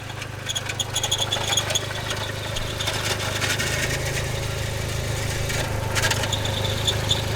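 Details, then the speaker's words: SRT bought at auction, idling with a harsh rattling chatter and metallic scraping from the transmission/bellhousing, with pieces seen flying out; damaged throw-out bearing and clutch, transmission itself not yet ruled out. "that that's the throw out bearing and the clutch and I I see I see pieces flying out yeah that clutch is gone"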